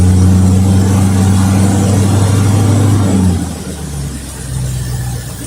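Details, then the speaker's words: 1973 Mercury Cougar XR7 with 351 Cleveland two-barrel V8, run on a fuel mix poured into the carb before an oil change flush, getting a little warm. Deep, even rumble that drops smoothly off throttle, no knocks or misses; runs much better than before. Normal idle. "definitely it runs and sounds a whole lot better than what it used to so I'm glad that I put that all in there to kind of flush it out"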